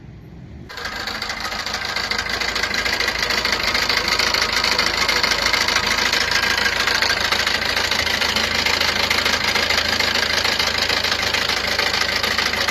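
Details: Maruti Ertiga engine starting and settling to idle: fast, even, light, high-pitched metallic rattle. Abnormal engine noise attributed to a timing chain issue.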